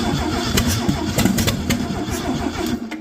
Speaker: It's firing. It won't start like this. I mean, we can try, but I don't think it's going to.